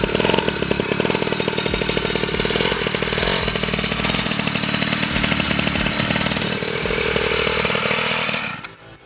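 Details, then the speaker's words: Piaggio Ciao moped, otherwise stock, with Polini Evolution, 75cc Pinasco cylinder and 19mm carburettor, on a test ride: a high, buzzy two-stroke wail holding revs with a wavering edge; the drive belt is slipping at the top end. "konnten trotzdem ein paar probleme feststellen und zwar zum einen vielleicht habt ihr es gehört der riemen der rutsch durch"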